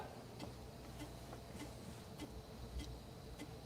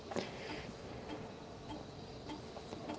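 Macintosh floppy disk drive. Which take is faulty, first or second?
first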